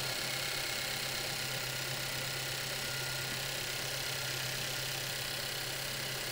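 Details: Engine idling, checked by stethoscope during engine body inspection: steady, even idle with constant low hum, no mechanical knocks or rattles; normal idle.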